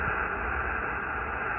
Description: I rode around tuned to 28.400MHz to ascertain which power poles are the source of the power line noise that is interfering with my HF radio.